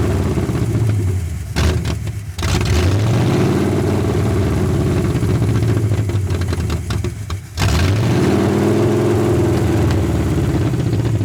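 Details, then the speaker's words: 1981 Ford Mustang 5.0 V8, parked since 1996, fed by a temporary micro electric fuel pump after the dry mechanical pump failed: idle hunts up and down, nearly dies twice, never settles; owner suspects a bad vacuum leak, possibly the carb gasket, or off distributor timing. "I'll hook everything back up, and hopefully this time it'll sit and idle. This thing has a horrible vacuum leak somewhere."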